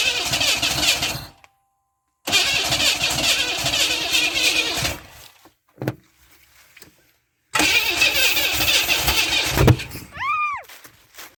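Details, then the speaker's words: 1991 Camaro 3.1 L, quit after a store stop; low compression readings, timing chain suspected. With starting fluid sprayed into the open throttle, bursts of fast cranking catch only briefly and never run; crank-no-start, owner believes timing is the issue. "he did a compression test and they were testing really low, but it was still trying to hit."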